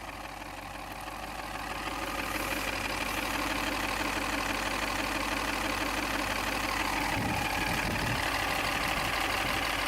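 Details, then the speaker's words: Lexus after briefly running on two quarts of oil, at low idle: a regular light tick about three a second over the engine hum, which goes away when revved; cause unconfirmed. "so don't you loud but if Wyatt's up that sounds normal just the low rpms"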